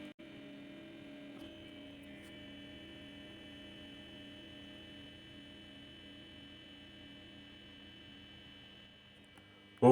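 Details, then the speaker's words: Indalux IVA 2 250 W sodium streetlight near full brightness: a low, steady magnetic-ballast hum with a gentle slow wobble, its noise slowed down a little after warm-up; normal ballast hum. "J'entends le le balaste qui a ralenti un peu, son bruit un peu ralenti."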